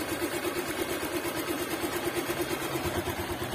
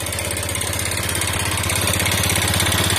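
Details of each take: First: Liquid-cooled motorcycle engine after an oil-starvation episode, with an engine flush completed and oil to be changed: smooth, even single-cylinder idle with a steady beat and no knocks or rattles; normal idle. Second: Motorcycle run completely out of oil, piston possibly seized, restarted with used oil added: harsh clattery idle with hard rapid beat and metallic rattle, somewhat smoother now but worse with thick smoke when hot; rough running after oil starvation.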